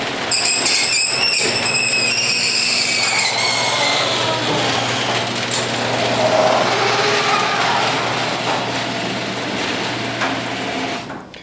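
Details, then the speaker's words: Garage door before a service call: torsion springs binding tightly against the torsion tube cause a scraping, squealing rub with falling whistles as the door travels. After service and greasing it sounded much better. "the springs are actually making contact very tightly with the torsion tube so we're going to operate the door"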